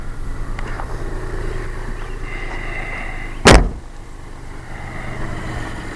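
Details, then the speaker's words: 1992 Geo Metro Convertible 3-cylinder, freshly rebuilt (0.020 over pistons, new rings, new crankshaft, rebuilt head, new pumps). Low, even idle hum with the slight shake normal for a 3-cylinder; one thump is a door. Healthy normal idle. "Engine shakes a tiny bit, but that's because it's a 3-cylinder Geo Metro. No matter how nice you make one of these cars, you're going to have a little shake to it. It's just the nature of the beast on this particular vehicle."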